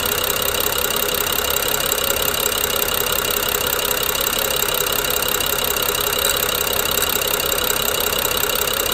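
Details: BMW N55 at idle, coils, plugs and VANOS solenoids recently replaced with new OEM: fast gritty clicking/grinding, seemingly from Valvetronic gear and eccentric shaft, coinciding with jerky, uneven idle; cause unconfirmed.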